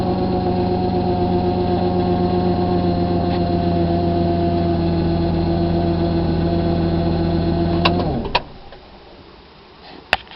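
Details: 1998 Dodge Avenger engine idles with a steady low hum and a faint, fairly regular ticking about four per second, then shuts off; odd engine noise, cause unclear.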